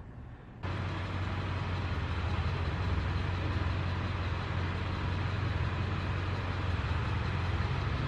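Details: Steady, low diesel rumble at an even idle from the dually, muffled and smooth with no knocks or misses; healthy idle on the stock muffled exhaust, before straight piping. Truck had still been smoking a little.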